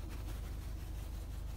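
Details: Citroen turbo petrol engine with earlier misfire, limp mode and codes P0087 and P0313, after fuel pressure adaptations were reset with a tester and codes cleared: low, steady, even idle with no stumbles or hunting.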